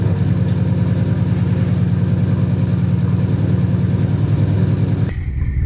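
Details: Nissan Cefiro A31 RB20 engine after about 6-7 years of sitting, warming up after roughly half an hour of running: loud, uneven, lumpy blubbing idle at about three beats a second; compression and leak-down tests show poor results.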